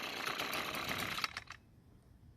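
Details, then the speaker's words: Echo string trimmer, two-stroke: thin buzzy running that never reaches full speed, heavy smoke from the muffler, then dies; fuel mix checked fine, suspected carbon-clogged spark arrestor screen restricting the exhaust. "as you can see and here it simply will not get to full speed a big clue as to what's wrong with it is all the smoke coming from the muffler"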